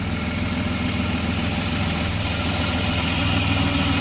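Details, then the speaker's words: BMW E36 with Ireland Engineering catback and M3 catless midpipe, after fixing torn ICV-to-intake boot hose that caused no-start: steady even idle, smooth low rumble, no weird noises, slightly smoky without cats; normal idle. "chats are deleted no weird noises put the car on the ground and she's a runner a little bit more smoky because no chats"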